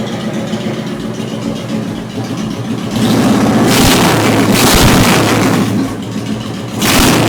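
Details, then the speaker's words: Honda Shadow V-twin motorcycle, first start after installing a Hypercharger intake: lumpy, steady idle, then clean throttle blips that rise and settle quickly. The engine sounds healthy, and the owner thinks it sounds better than before. "So I think it actually sounds a lot better than what it did, so here we go."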